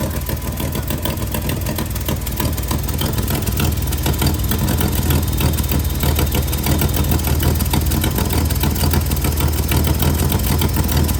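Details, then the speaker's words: Project Z carbs just refitted, dashpots not yet filled with oil: engine fires and immediately runs fast and rough at a raised, hunting idle instead of settling; idle far too high, way out of adjustment. "it's not highlighted a thousand miles an hour it's good it's way out of adjustment"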